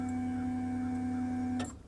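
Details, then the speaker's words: Mazda Miata, stock fuel pump replaced with Walbro 255 on the hanger: steady, fairly loud mid-pitched hum about 1.5 seconds, then cleanly cuts off; normal fuel pump priming. "That dude is loud. We need to fix that."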